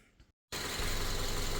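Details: Subaru FB engine, low mileage, after a no-oil-pressure fault: a paper towel was found in the engine, everything was cleared out and it was put back together; after a brief silence it catches and settles into a steady idle with no rod knock.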